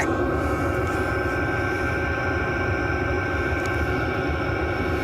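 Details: Chinese all-in-one diesel parking heater in shuttle bus RV conversion, recorded under the bus while running after high setting, exhaust pipe hot: steady even hum with constant whine, no knocks or surging; normal running.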